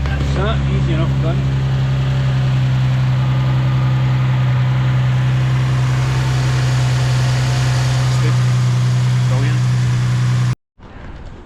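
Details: Nissan 370Z just started after replacing the accessory belt, tensioners and pulleys: smooth, even low idle hum with no knocks, ticks or belt squeal; normal idle.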